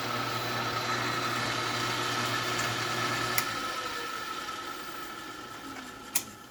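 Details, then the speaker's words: Craftsman 12x36 lathe running in neutral, power feed off, after pulley-to-cover rubbing was cured by loosening bolts and swinging parts out: smooth, stable hum with clean high tone, then even wind-down; normal running. "So you can tell that's pretty smooth and stable."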